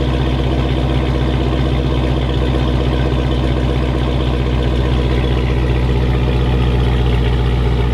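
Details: 2006 Chrysler 300 SRT8 6.1 Hemi V8, first run after stage 2 cam, valve springs and retainers install, with intake and exhaust: deep steady rumble with a choppy, slightly uneven lope at idle; healthy idle settling in.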